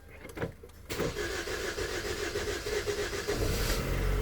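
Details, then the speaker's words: Hyundai Tucson with check engine light on, scan showing sensor reference voltage circuit low codes: cranks, catches and runs unevenly for a few seconds, then dies again; starts then stalls. "So ayan napapansin natin na walang ah emosine yung ano niya per may check engine. Then start-start siya yun namamatay."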